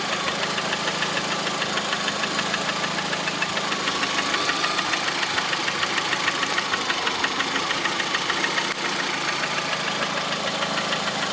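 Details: Lada Priora 2009, 37,000 km, engine began knocking about 500 km after adding Suprotec additive: sharp regular light metallic ticking knock about three times a second over steady idle; cause unknown.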